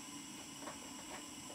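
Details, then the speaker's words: Model steam plant gas burner on a Castle steam boiler, gas jets pulled further from the venturi cross hole and gas pressure reduced at the canister tap: soft, steady hiss with no howl, clean burning, no bad chimney smell. Normal quiet burner. "the howling is simply stopped by reducing the gas pressure with the tap on the gas canister"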